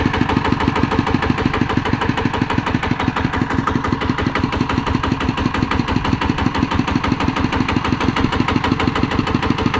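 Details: ET110 single-cylinder diesel after teardown and rebuild with reground crankshaft, first idle then normal running; steady, even beat about three firings a second, no knocks or misses; white smoke on acceleration gone, engine healthy.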